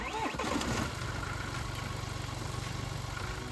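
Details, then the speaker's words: BMW F21 116d diesel at idle after replacing the snapped auxiliary belt: steady diesel clatter with no squeal or chirp; belt squeak gone, all normal. "That's much better with no squeaking at all."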